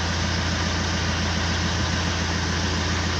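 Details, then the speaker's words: Fiat Multijet diesel after work for noise and vibration: steady, even idle with a low smooth drone and no shake, water in a glass on the engine not even rippling; normal diesel idle. "arkadaşlar Gördüğünüz üzere suda titreme dahi yok tepeden baktır abi"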